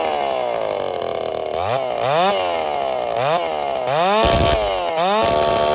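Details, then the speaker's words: Ported Dolmar 7900 chainsaw (82cc-class build, big muffler) on its first test run after earlier carb issues: revs up and drops back unevenly between cuts, pitch wandering; running decent but erratic, which the builder takes as a sign of a lot of bleed. "she's running running pretty decent not satisfied uh looking for more but I think we're going to run it like this for a little bit because well I mean she's behaving kind of weird and erratic and stuff and it's a sign of having a lot of bleed"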